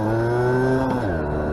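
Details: Vintage Honda MR50 two-stroke, warmed up, before a top speed run: clean, steady buzz that eases down smoothly as revs drop, firing evenly with no stumbles; engine runs healthy.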